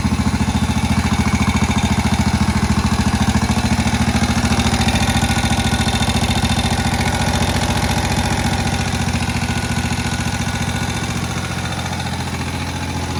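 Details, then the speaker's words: Moto Guzzi single barn find, first run in about 40 years, idle lowered: slow, steady thump-thump tick-over with an even beat and no misses. Healthy normal low idle. "But listen to how it's just sitting there ticking over. That really low guzzy single tick over."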